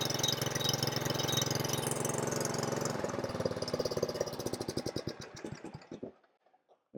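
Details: Craftsman R110 / Troy Bilt TB30R riding mower engine at full throttle while checking charging (battery rose to 13 V) runs steady and even, then winds down cleanly at shutoff; normal running.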